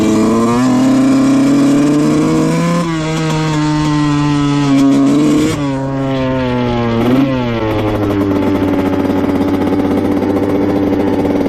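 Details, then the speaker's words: 2000 Honda CR125 two-stroke dirt bike at full throttle: buzzing pitch sags and stumbles, bogging and breaking up badly, probably doesn't go over 10 to 50 mph, blowing lots of white smoke. "Alright, yeah, it's bogging really, really bad. You could hear it in the video. It's not too good. Breaks up, bogs, probably doesn't go over 10 to 50 miles an hour."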